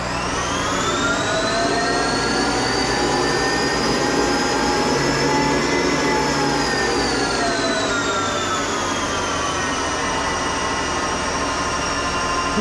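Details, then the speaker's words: Monarch 10EE lathe, warmed up, electronic variable-speed drive rated to about 4000 rpm; spindle whine climbs quickly and evenly in pitch and settles after a speed increase, more responsive than the motor-generator drive; normal spindle acceleration. "the speed I set it off fast now the uh motor generator doesn't do that you turn it down it has to kind of wind down doesn't have this kind of response let's see how fast it go up"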